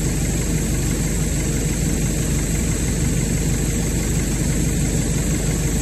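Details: Brand-new Hangkai 6.5 hp four-stroke outboard, bought on eBay, running after the over-high idle screw was backed out: steady low drone, even firing, no knocks, rattles or hunting; started easily and ran well in all gears, normal running.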